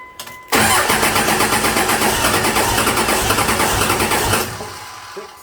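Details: 2001 Dodge Ram Cummins turbo diesel swapped into a 1952 Dodge M37, first start attempt: rapid, even starter chug about three beats a second that never catches; air still in injector lines, fuel pressure only reaching five of six injectors.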